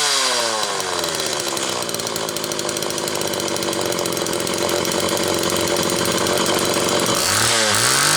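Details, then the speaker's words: Homelite XL Automatic chainsaw after repair (fuel issue had forced full-choke running; new bar stud), cold morning, engine half warm; started in about six pulls; revving hard with steady even buzz, then dropping off cleanly; high speed close enough; normal running. "But the fact that it started in about, what was that, 6 poles, that's dead on the money for what it should be doing. The high speed is pretty close now. In fact, close enough, I think."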